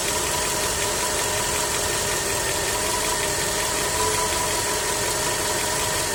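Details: Skoda 1.6 BSF petrol at steady idle: fast, even ticking knock over the engine drone throughout; knock from inside the engine, cause not identified.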